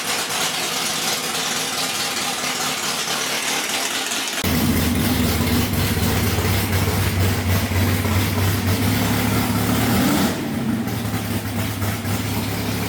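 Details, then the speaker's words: Drag-racing Camaro started for the first time in about 8 years after priming and leak checks: big engine catches and settles into a loud, lumpy but steady idle with deep rumble, no knocks or misses; normal. "AFTER 8 YEARS, THE BEAST IS AWAKENED. RIGHT, LARRY? >> You got her going. >> Uh, it sounds good."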